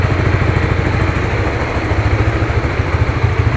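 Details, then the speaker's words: Honda Supra GTR 150, fuel-injected, nearly 2 years of use: an even, soft idle putter of about three pulses a second with no ticking or clatter. The owner says it still sounds like new; healthy single-cylinder idle. "Tuh, apakah ada suara yang aneh-aneh teman-teman dengar? Kalau menurut saya ini suaranya masih kayak baru."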